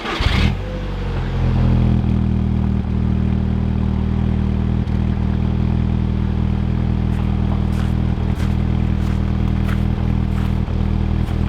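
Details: Volkswagen Passat with a suspected faulty coil pack, before swapping in a borrowed R8 coil pack: the idle settles after start but shows an irregular stumble and ticking in the low rumble, a steady misfire.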